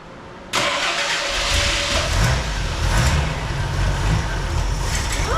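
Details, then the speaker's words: 1983 Jeep CJ7 that sat for years cranks, fires and roars briefly on fuel poured into the carburetor, then dies; fuel line shows no fuel, so the fuel pump has failed and needs replacing — fuel starvation. "Let's check the fuel line one more time and just see if there's any Yeah, so fuel. there's nothing. nothing. Okay, so the fuel pump definitely needs to be replaced."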